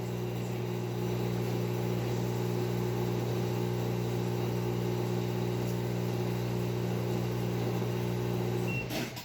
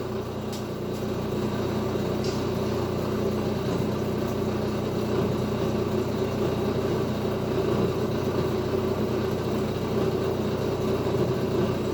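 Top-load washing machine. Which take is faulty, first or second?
first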